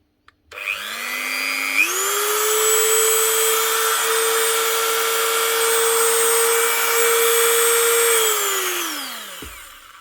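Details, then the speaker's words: Dremel MultiPro 395, previously squealing and losing power, after replacing both 626 bearings: the motor spins up to a clean, steady high whine without squeal or wavering, then winds down smoothly; bearings now healthy. "one Dremel multipro fixed up again two new 626 barings"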